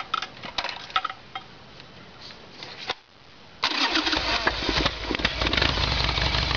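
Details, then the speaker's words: Harley-Davidson Evolution Sportster V-twin with earlier backfiring, run on the normal petcock position: uneven popping and stumbling that fades out, then a steadier run; fuel starvation, faulty fuel tap passes no fuel on 'on', only on reserve. "so there was all the proof we need had ran dry with the fuel tap on"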